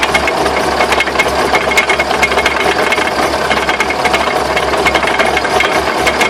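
Sharp, fairly regular knocks and rattles over the running noise; the source is unconfirmed, possibly the drive shafts.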